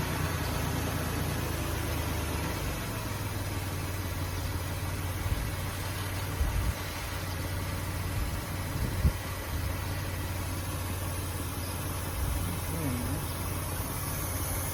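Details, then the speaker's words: 2005 Ford Taurus after new idle air control valve and ignition coil; idle hunts and wavers with faint air hiss; owner suspects air being sucked in somewhere up top, not the valve, unconfirmed. "see how it's jumping real bad sounds like I hear air coming out of somewhere else"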